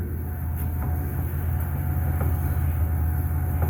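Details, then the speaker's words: 2005 Pontiac Aztek AWD in reverse, AWD disengaged: deep drivetrain rumble with faint uneven knocks about every second, wheel trying to turn; owner suspects the rear gearbox is blown or possibly the transmission, unconfirmed. "It's still knocking. Still knocking. Does this work in reverse?"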